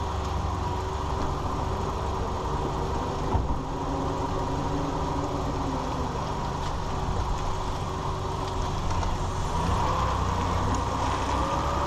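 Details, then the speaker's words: 2001 Ford Ranger 4x4 driving after rebuilding the front driveshaft CV joint; steady, even low drone with no rattle or clunk, the earlier clicking rattle heard at walking speed now gone. "all right so as you're heard the noise is gone the rattling"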